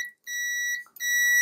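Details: De'Longhi ECAM25.462.B coffee machine, thermal fuse checked with continuity tester during steam heater repair: two clear steady high beeps show continuity; fuse intact, not blown.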